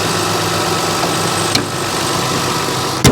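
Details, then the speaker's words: 2003 Toyota Highlander 1MZ-FE at idle after replacing and adjusting the alternator, A/C and power steering drive belts that had been squealing: steady smooth hum, no chirp or squeal; normal idle. "And as you can hear, it's nice and quiet now. No more squeaking belts."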